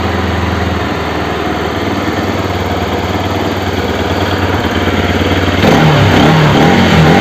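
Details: Bajaj RS200 engine, exhaust valve clearance set to 0.08 mm: even idle pulsing around 220 per minute, then a sharp rev blip near the end; no ticking stands out, normal running.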